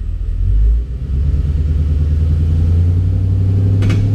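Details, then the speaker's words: Rebuilt wrecked 2011 Mustang GT V8, in gear under light load with a little rev, cylinder 7 re-enabled after a kill test: deep, even rumble, no stumble or dropped beats; probably no misfire problem there. "Yeah, it's not. I really don't think we have a problem there."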